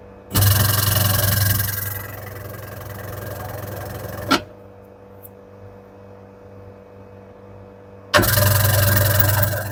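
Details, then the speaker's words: Candy semi-automatic twin-tub washer, wash motor run with the V-belt removed: hums and spins briefly, then the hum drops away and it stalls; seized motor bushing binding the shaft. "Now it's rotating, but after some time it's getting stuck. See, you can see the problem. It's now already got stuck."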